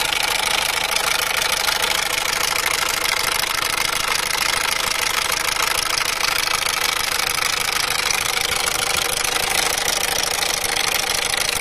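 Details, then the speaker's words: Peugeot/Citroën 1.6 HDi diesel at cold idle with the engine warning light on: sharp, even clatter about 2.5 per second, loud when cold and somewhat less once warm. Injector seal leak suspected, cause unconfirmed. Diesel idle knocking. "Voilà, c'est un claquement quand le moteur il est froid, ça claque assez fort, et une fois le moteur chaud, il y a toujours le claquement, mais un peu moins."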